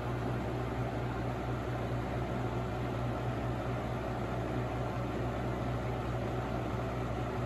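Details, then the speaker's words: Holmes HABF-20 box fan (Feb 1997), seller's note said "hums"; motor cleaned and oiled. On medium it gives a steady low hum and even airy rush with no ticks or rubbing; bearings sound healthy and it runs great. "There's medium. Runs great."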